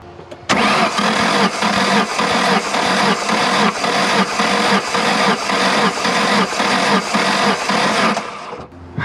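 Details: Ford engine cranking during compression test: starter turns it over steadily at about two beats a second for eight seconds, never fires; cranking no-start.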